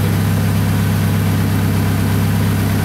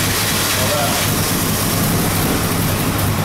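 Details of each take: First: Toyota Camry idling in the shop after timing belt replacement, smoking after a start believed to have flooded it: loud, deep idle with a rough puffing pulse on the exhaust note, from an exhaust leak. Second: Toyota Camry after timing belt, water pump, idler and cam seal replacement, first start since towed in: catches and runs with a steady low hum and slightly rough edge, smoking, as it clears out after what is believed to be flooding from repeated start attempts.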